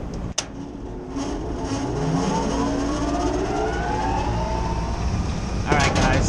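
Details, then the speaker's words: Rooftop belt-driven kitchen exhaust/ventilation fan after greasing the bearings and changing the belt: spins up smoothly, hum rising in pitch then settling to an even run, with the earlier rumbling gone. "That's It's a much better startup"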